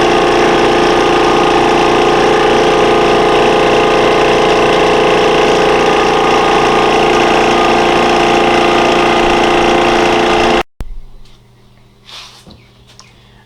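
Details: Air compressor (333) after a tune-up with the leak tightened, drain plug in and a new hose: runs with a steady hum and an even pulse of about three beats a second, no knocks or rattles, then shuts off.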